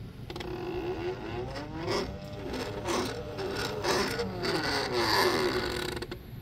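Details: First-prototype 3D-printed PLA worm gear driven by a stepper motor (Arduino, A4988 driver) scrapes and creaks as it turns, very noisy from weak plastic teeth and tolerance issues.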